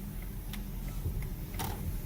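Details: Inside the cabin after clock spring replacement: light regular flasher clicking about three a second over quiet road hum; the turn signal now works and cancels normally.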